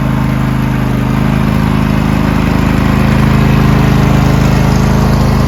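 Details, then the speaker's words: Used riding lawn mower with a roughly 20 hp V-twin (owner believes), new 320 CCA AGM battery, low about half a quart of oil, sat three months unmoved; steady even low thrum, no misses, knocks or surging, normal running. "has a v twin in it uh believe 20 horsepower it's a good engine huh from what I can remember"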